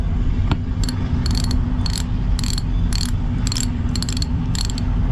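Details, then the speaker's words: Lewmar 58ST electric winch on an Amel Super Maramu 2000, rebuilt after making noise, pawls cleaned, oiled and gears greased, turned by hand: crisp, even bursts of ratchet clicks over steady gear rumble; pawls engaging cleanly. "I think that's all together properly and it sounds really good listen to that you can hear all the pals just clicking nice"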